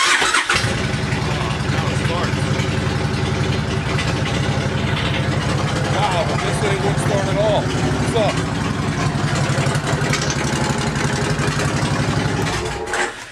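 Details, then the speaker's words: 2005 Suzuki Boulevard C90 1500 V-twin that cranked without starting the day before (later traced to a loose connection): cranks briefly, catches quickly and settles into a steady, even idle; normal start and idle. "I turned over and turned over for the longest time and now it starts all right"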